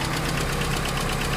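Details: Proton Wira 4G91 engine idling, sound heard at the top: rapid, even tapping from the top end, knocking caused by badly jammed hydraulic lifters, to be serviced.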